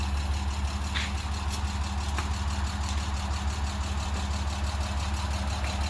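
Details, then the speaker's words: Daytona Violet BMW E36 M3 revived after about two years of partial work and sitting. At idle a faint quick tick of about two per second rides on top; valves are said to be ticking and to need high RPM. Valve-train tick suspected. "All right. Valves be ticking. It needs high RPM."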